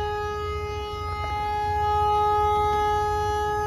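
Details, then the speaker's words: Dump truck drop axle sitting on the ground, no air pressure: ruptured lift air bag blown out on top, loud steady whistling howl of escaping air over low engine rumble, recorded underneath; parts ordered. "That's why the axle's on the ground like that, and we have that loud noise."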